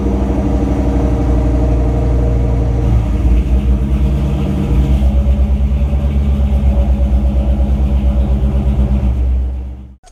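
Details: New Edge Ford Mustang with code P0190 running after fuel pump replacement fixed the fuel pressure issue: deep, even engine rumble holding a steady beat, rising briefly with throttle, then settling and shutting off; runs clean and healthy.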